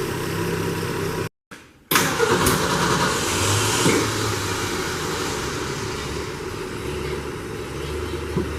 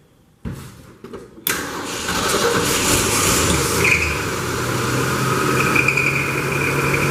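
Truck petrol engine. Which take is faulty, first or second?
second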